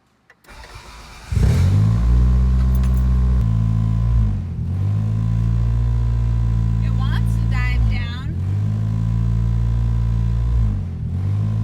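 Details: 1990 Toyota Celica GTS, warmed up, stock airbox reinstalled: steady but noticeably high idle that dropped only a couple hundred rpm after adjustments. Idle control valve being checked next; a big vacuum leak is suspected.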